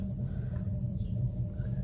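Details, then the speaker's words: Small DIY propane-tank wood stove working like a rocket stove, fire just lit on fatwood with the door partly closed: steady, deep, low roar of air drawn through the firebox and up the flue; normal strong draft. "I don't know if you can hear it on camera or not, but it's already starting the rocket effect, which is the air being drawn through it and up the flue pipe."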